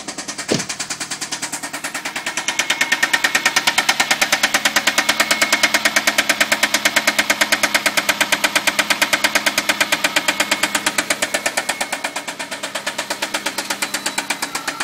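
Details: MK4 Jetta 2.0 petrol at idle after oil cooler O-ring blew at 70 mph draining all oil, then head replaced for valve tick; steady sharp knock in time with engine, sometimes disappears briefly; owner asks if rod knock; oil pressure 50 psi.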